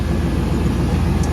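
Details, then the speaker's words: OBS truck that only clicked, started after replacing the starter and a blown 40 A fuse: even, steady low rumble with no knocks, misses or stumbles; engine running normally. "got it started. It's about time."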